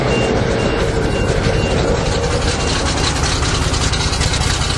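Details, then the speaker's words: 427 big-block V8 dump truck (14,112 lb), first start since March after fuel pump wiring fix, fresh fuel, cold with choke out: loud lumpy idle running rich; owner suspects choke stuck, backs it off. "oh she's running rich better take more choke off still running rich I wonder if a choke is stuck"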